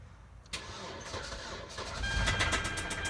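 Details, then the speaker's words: Auction car that had been sitting an unknown time, jump-started: it cranks and catches, then runs unevenly with a light rhythmic top-end tapping that quickens slightly as revs rise; tapping and rough running, cause unknown. "so it runs but not what you'd want how you want it to run yeah it's Tippy tapping see what it is well it is tapping not what you hope for"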